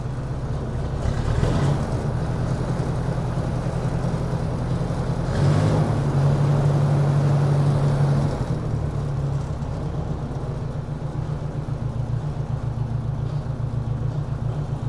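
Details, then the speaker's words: 1957 Ford Workmaster 601 (series 641) tractor with a Marvel-Schebler TSX 765 carburetor, on choke in a 24 °F garage, with new Autolite 216 plugs: low, chugging idle with a recurring skipped beat; misfire at idle, carburetor suspected. "we will need the choke because it's so cold you hear that kind of a Miss pulse and that's just at an idle"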